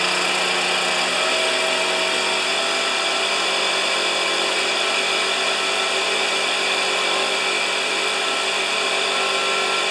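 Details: Neglected Stihl BR430 backpack leaf blower, cold at about 6 °C, started next day after carburetor modification with flipped butterfly: steady, even high-pitched roar with fan rushing, no surging or dropouts; now running normally.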